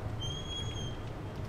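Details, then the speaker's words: Office door opening; thin high squeal held most of a second as it swings, squeaking hinge; door also sticks because hinge screws loosened over time with seasons, temperature and humidity. "you hear that it squeaks a lot both of those issues are related to the hinges"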